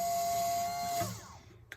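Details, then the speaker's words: Two-stroke project's bilge pump after removing a piece of tie wrap jammed inside that caused a noise: steady high electric hum with water-pumping rush, no rattles, then shutting off; normal pump run after fix. "Sounds much better without a piece of tie wrap in it."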